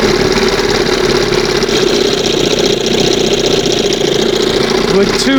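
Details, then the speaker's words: 1971 Johnson 20 hp outboard, two-hole butterfly carb: steady fast two-stroke buzz won't idle down; high idle, air/fuel leak, reeds or pump diaphragm suspected. "Now, see that's right after the second mark. It won't idle past that."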